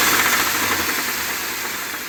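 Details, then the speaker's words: Ford F-250 with 7.3 L Godzilla gasoline engine, idling after the dealer reportedly left bolts out of the oil pan and cooler and returned it as fine. A loud, harsh clatter runs through the idle, an internal engine knock. The truck was towed back and got a new engine. "this is after they initially brought it back to him and said everything was good to go and he started it up and it does not sound good they literally told him to keep driving it and here's that clip right there"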